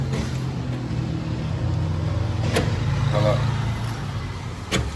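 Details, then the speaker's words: Honda CR-V right rear door after its noisy, non-working lock actuator was replaced with a new one. It now gives two crisp lock clicks over a low hum, with no grinding or rattling: normal locking. "sem fazer aquela barulheira e agora tá travando"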